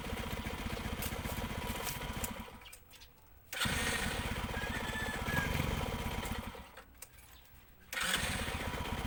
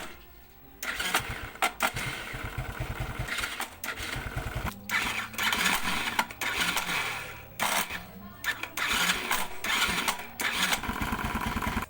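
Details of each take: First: ESR110 single-cylinder motorcycle, starting-noise and Bendix drive repair context: fires up readily without starter clatter and settles into a steady popping idle, cutting out briefly twice; normal start and idle. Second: ESR110 motorcycle, hard starting with noisy starter: repeated choppy cranking bursts with rattly metallic noise between stalls, won't catch easily, starter sounds rough; Bendix drive/starter clutch suspected, replacement is the fix shown.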